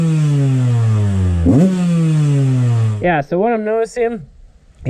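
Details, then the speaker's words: Yamaha YZ125 two-stroke started cold without choke, before repair: blubbers and sags with uneven revs and sputtering, far too rich, later traced to a leaking carburetor float. "First test, we're going to try it without the choke. Yeah, that sounds really rich already."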